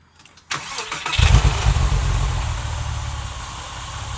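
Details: 1999 Porsche 996 911 (Gen One, cable throttle), check engine light and power loss persisting after new MAF: brief crank into a lumpy, uneven idle with a stumbling low beat; misfire.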